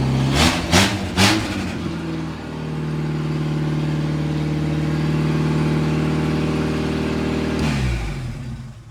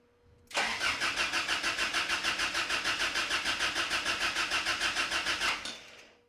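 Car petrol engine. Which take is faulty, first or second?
second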